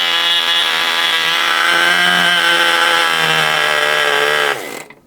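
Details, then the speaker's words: 1980 Cox Babe Bee .049 nitro glow model airplane engine running after 46 years: very high, steady buzzing whine held evenly for several seconds, then a quick fall as it stops; running cleanly. "Yes, folks, after 46 years, it's working again."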